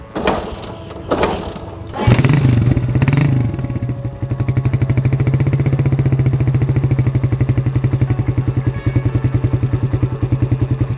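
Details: 2005 Suzuki Satria F150, 20 years from new, cold start after sitting, choke pulled then closed, cranked a few times first: a few cranking attempts, then it catches and settles into a quick, even putter; a normal start.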